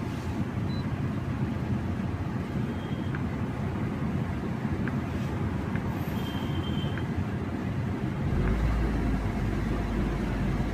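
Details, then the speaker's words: 2008 Maruti Swift diesel with a J10 ECU: holds a flat, even idle with no climb in revs even at full pedal; scan gives an accelerator pedal position sensor code, and the cause is the faulty ECM board, which needs servicing. "Complaint എന്ന് പറഞ്ഞാൽ accelerator ആവത്തില്ല. അതുണ്ടോ, full ചവിട്ടി പിടിക്കണം കേട്ടോ. Full press പിടിച്ചാലും accelerator ആവത്തില്ല."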